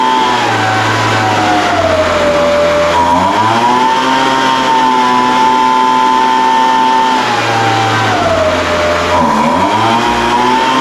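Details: Older Craftsman 200mph two-stroke blower, sat unknown time, restarted after the high-speed mixture was opened slightly: sags and climbs in pitch twice over twelve seconds, then holds steadier. High-speed mixture hunting; carburetor acting funny after sitting.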